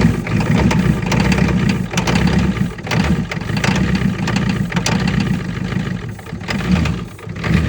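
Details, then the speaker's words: 25-year-old plow truck with 6.9 IDI diesel, cold start in snow: catches quickly and settles into a low steady clatter with a few rev swells; normal cold start and idle. "oh well it fired right up"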